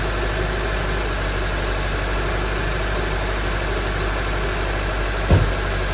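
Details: 2003 Honda CR-V after misfire fix: smooth, even idle with a steady hum and no misses or stumbles; the engine is running cleanly.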